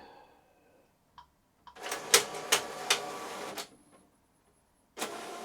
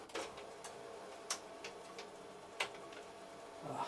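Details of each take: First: Epson EcoTank ET-16600 automatic document feeder, noisy and jamming on scan or copy: uneven rattling and grinding bursts as it drags the sheet through haltingly; ADF drive gear with missing teeth. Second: Epson EcoTank ET-16600 A3 automatic document feeder after repair of a small-gear fault: sparse light clicks and soft ticks while feeding, with no grinding or chatter; normal feed.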